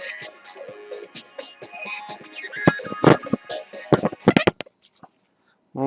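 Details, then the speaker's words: Phoenix Gold ZX475TI car amplifier: music breaks into loud scratchy crackles and pops, then drops out completely when the potentiometer is touched. The potentiometers are faulty, while the chips are thought undamaged. "donc euh il y a des gros problèmes sur les potentiomètre"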